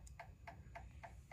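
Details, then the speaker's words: 2004 Honda Metropolitan scooter that sat four years, after a carburettor clean, key switched on: a quiet, steady ticking three or four times a second as the fuel pump primes the system normally. "now you have to Prime up the fuel system in order to do that you just turn the key on listen for the fuel pump"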